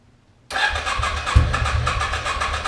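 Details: 2006 Can-Am Outlander Max 500 after a new AGM battery was fitted: the single fires straight away and runs with a steady, regular putter, a clean normal start and idle.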